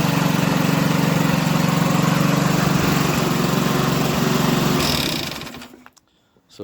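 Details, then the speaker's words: Champion SV150 lawnmower after engine overhaul and re-welding loose exhaust plate that rattled: steady even engine beat with no rattle, then winds down and stops; normal running. "so that sounds a lot smoother now when it's running"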